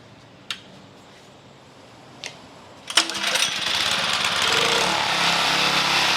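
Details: Champion water pump small engine after the carb work, water in the pump, fresh fuel, idle speed screw adjusted, air filter off: a couple of clicks, then it catches and settles into a steady, even buzz; runs clean.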